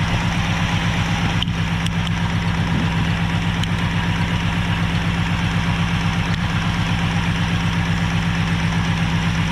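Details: Abandoned 1968 Ford XL V8 idling with a failing carburetor, poor fuel supply, and idle mixture and speed unadjusted: a steady idle with a faint, fairly regular light tap; owner suspects the water pump, source unclear.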